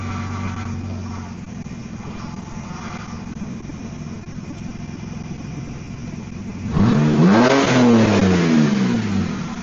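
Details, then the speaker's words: Car at idle with wheel being turned while old dark power steering fluid is drained: groaning whine swells and bends in pitch as the pump is starved of fluid. "When I started without fluid and I'm turning the wheels, I'm forcing it to pump things out when there isn't much left, and I don't want to keep doing that for a very long time."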